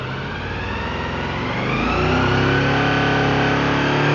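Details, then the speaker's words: Honda VFR held at about 6,500 rpm: the note wavers with an uneven, slightly choppy beat and light sputter; owner is unsure all four cylinders are firing, possible misfire, cause unconfirmed. "so that was about 6 500 rpms definitely a little choppy uh you can hear a little bit of sputtering in there"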